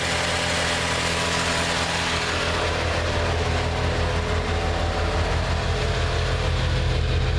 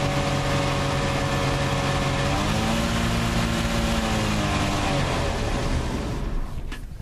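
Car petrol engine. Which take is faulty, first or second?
second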